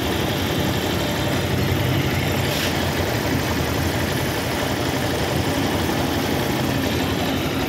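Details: Motorcycle that shook after a DIY clutch lining change, idling after repair: steady low hum with no shaking or rattle; vibration gone, normal idle, though loose tensioner is advised replaced as it may get noisy later.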